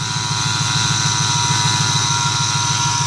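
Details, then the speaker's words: 2008 Ford F-150 4.6, under the hood at idle, whine present for a year, a mechanic found nothing: steady idle with a thin high whine over it; idler pulleys suspected, unconfirmed. "I don't know if you can hear it on video clearly, but there's a whining noise,"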